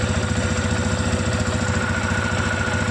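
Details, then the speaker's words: TVS Apache RTR 160 FI BS6 single-cylinder motorcycle, about 5000 km, idling after the tappets were tightened: even, steady thump with the earlier tik-tik tappet ticking gone. "एक Slater देके देखते हैं जो kit kit का टपट का हमारा आवाज था अब वो आवाज नहीं आ रहा इसमें"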